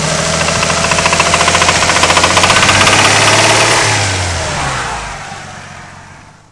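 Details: Nissan RB20DET with a spun rod bearing after hard highway driving and excessive oil temperatures: loud regular rod knock, about three to four per second, as the engine revs and settles.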